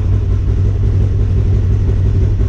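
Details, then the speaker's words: Polaris RZR just after Dynojet Power Vision 3 ECU reflash, cold start: deep, steady low rumble with an even beat, none of its usual sputter or stumble; smooth normal cold start idle. "that's a cold start guys that sounds smooth this thing usually you know sputters a little bit when it first starts"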